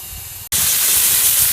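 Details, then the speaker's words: FEBCO 765 pressure vacuum breaker, sprinkler blowout with the compressor: the valve is pushed up by hand and thumps as it seats, then a strong steady high hiss as air blows out the zone. Normal. "and then when I open this up you'll hear it seat here we go there we go and now we're blowing out that zone"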